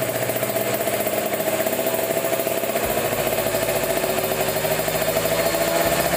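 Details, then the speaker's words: Kawasaki Ninja 150 RR two-stroke, warmed up, after cleaning dirty carburetor nozzle that caused stuttering, pilot jet 25, no air filter fitted: crisp steady buzz revving low to high rpm, no stutter, responsive; normal rev response. "sudah lebih enaknya lepas responsif RPM bawahnya juga enak"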